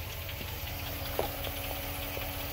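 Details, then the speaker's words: 2006 Jeep Commander 5.7 Hemi V8 at idle; light, fast, regular ticking over steady idle, following engine speed: the owner's "Hemi tick", which he treats with Lucas upper cylinder lubricant fuel additive; cause unconfirmed. "that? That's Hemi tick. So this is the 5.7 Hemi."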